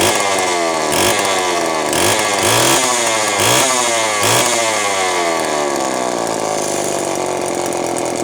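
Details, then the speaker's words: Homelite chainsaw, just unboxed, started with choke and good compression: soft uneven burble that sags on each throttle blip, two-stroke running rich; oil pump being checked, tuning planned. "well she is running rich I just want to see if this oil pump is working before calling at a night and going to find some parts"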